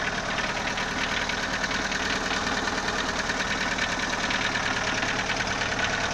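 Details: Engine runs steadily with a light, fairly regular knock about two or three a second; valves already adjusted, timing belt replaced and bottom-end clearance checked, cause still not found.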